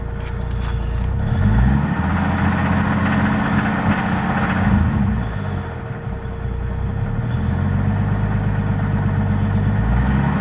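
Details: 1990 Toyota Supra 7M-GTE, previously rebuilt with head gasket replaced, idling with a loose, fairly steady deep bottom-end knock, three or four a second; came on suddenly, owner suspects rod knock, unconfirmed.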